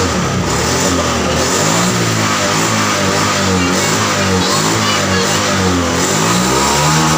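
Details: Honda Vario FI scooter that sputtered at high rpm, as if starved of fuel, after the TPS sensor was reinstalled and repositioned slightly upward: it pulls to high revs and holds them steadily with no stutter or misfire.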